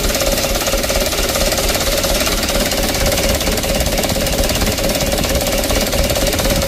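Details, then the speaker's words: Mitsubishi Canter diesel, cold, after long cranking, before repair: rough lumpy idle, uneven knocking about twice a second over harsh clatter, engine shaking and smoking; mechanic suspects injection pump plunger, cause unconfirmed. "Starternya serasa panjang teman-teman ya, dan juga guncangan mesin seperti ini."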